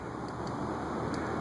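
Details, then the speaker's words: Air King 20" box fan on low, about 0.47 A, bearings newly freed with WD-40 but not yet cleaned: soft even rush of air, faint steady hum, no ticking or scraping; normal quiet low-speed running. "a nice quiet low speed three nine"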